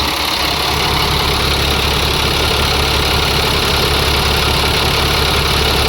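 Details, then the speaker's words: International 4400 with DT466 diesel at steady, even idle with no dips after replacing a fuel filter O-ring that had a chunk missing, which may have fixed the earlier surging idle that dipped after revving; air compressor building pressure in background. "We'll let it run a while. That may have taken care of it. So far so good. It hasn't dipped."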